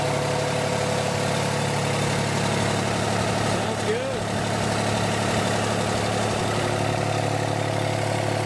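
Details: John Deere 400 tractor with swapped-in diesel engine, first start after remounting and rewiring: steady, even diesel idle with a smooth low drone and no knocking or misses; sounds healthy.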